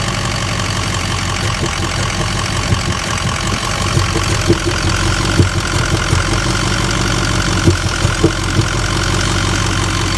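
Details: 2004 Ford 6.0 Powerstroke diesel with two EGR codes, a cylinder 8 misfire code and a cylinder 4 contribution balance code: rough idle with uneven thumps and stumbles about every second; misfire at idle.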